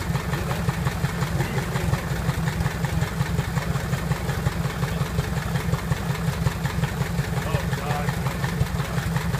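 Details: Piper Apache piston aero engine, first start after rebuild: low, even putter at idle with steady firing pulses, no knocks or misses; normal idle.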